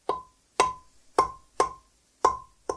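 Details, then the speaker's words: Schaublin 102 lathe compound slide part being rebuilt, tapped with a plastic hammer to check seating: six crisp clean taps with no rattle or buzz, so it is not sitting hollow anywhere. "you can also take a plastic hammer and listen if it makes a rattling noise when you hit it you know that I'm sitting hollow somewhere but this sounds very"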